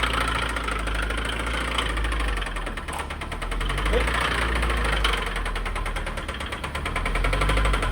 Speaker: This was the knocking engine. It's right over there.